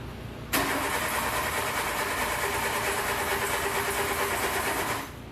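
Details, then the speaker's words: Le Car, an old French car, started with choke halfway; it runs about four seconds with a ragged, uneven, misfiring note, then dies. Owner suspects bad points and poor ignition cables and plans new points and wires. "we got a running we did get a running yeah I think our points are bad I think we should order some new points and some new wires"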